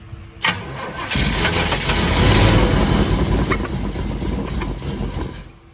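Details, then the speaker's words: '32 Ford roadster, built 383 roller V8 rated 525 hp, just fitted with EMPI HPMX 8-stack IDF carbs on a Pierce manifold. Cranking catches into an uneven, stumbling run; the ignition timing is still off. "ahead go ahead timing is definitely still off so we're going to have to adjust the time it again so I think we need to move them one spot around and then we'll be running well"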